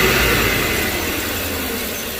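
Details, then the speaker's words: 2005 Chevy Tahoe idling after replacing a leaking vacuum line. It had shaken while driving and flashed the check engine light. Steady, even low-rumble idle with no shake or hiss; normal healthy idle, problem fixed. "Looks like it's doing good. Looks like it's doing good. We're not getting no more shaking of the engine. The whole engine was shaking, so problem fixed."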